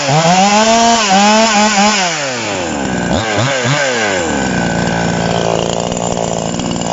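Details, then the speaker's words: TOMITSU 5800-body chainsaw, sprocket version, no load during review: revs climb and drop cleanly without stumble or bog, then settle to a steady fast idle; normal running. "เดี๋ยวชาวบ้านเขาจะรำคาญนะครับเนาะเพราะว่าเสียงเครื่องเ่ามันสิดังมากๆนะครับ"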